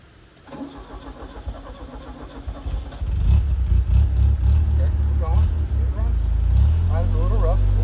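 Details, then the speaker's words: 1977 Fiat 124 Spider barn find, engine just refitted with a rebuilt head, before its first drive in 25 years. It catches after about three seconds into a lumpy, surging idle; owner suspects timing needs tweaking. "It's idling a little rough. I think I have a little timing tweaks we got to make to get it running nice and smooth."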